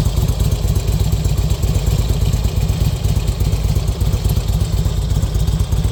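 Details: 2005 Harley-Davidson Road King Classic: deep, uneven loping V-twin idle with a loose clattery rattle over the exhaust thump; engine noise source not pinned down.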